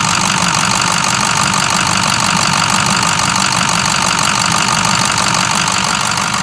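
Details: 2006 Ford 6.0 Powerstroke diesel, idling: loud, even idle with sharp, constant injector clatter, no missing or stumbling; runs well, normal for this engine.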